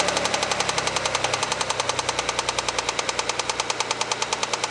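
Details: Mitsubishi 3000GT after 10 laps at Varano track and a short spell of very high oil temperature, Motul 300V 15W-50 nearly new, light throttle: sharp metallic knock about three per second over engine note; not yet diagnosed, owner fears rod knock.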